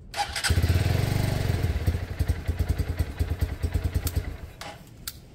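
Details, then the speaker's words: Lexmoto Michigan 125cc motorcycle after ignition fix, first start: fires and runs with an even low thumping beat around three a second, settling smoothly; no issues, normal running. "Sounds like mouth bite. No issues"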